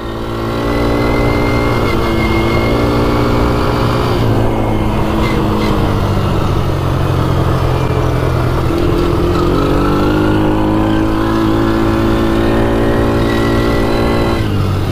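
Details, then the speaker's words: Polaris 90cc quad after free repair of a non-running engine, climbing a hill under rider load at full throttle; strong steady drone rising and falling evenly, no bogging or knocks, slight squeal considered normal; normal running under load. "we're pinned right there no blogging or anything so that's great yeah it's got good torque right up that hill no problem"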